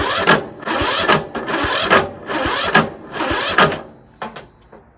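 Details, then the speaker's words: Troy-Bilt Pony lawn tractor, free unit: starter churns in uneven bursts about once a second, labouring and nearly stalling at each compression stroke; no start; owner suspects valves out of adjustment or automatic compression release. "That problem is the valves because it's it it gets to the compression stroke and it won't turn over easily."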